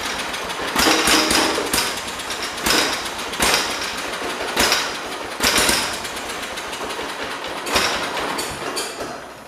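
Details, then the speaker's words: John Deere 212 garden tractor, a donor unit on a borrowed battery, with the carburetor being adjusted after it briefly ran: uneven bursts every second or two as it tries to catch, then dies each time. Sparking was also seen near the choke area, cause unknown. "We had it. Whatever. Okay, let's just try to get this thing going. We had it though, we were close. Got to dial it in. It might need a little bit of adjusting."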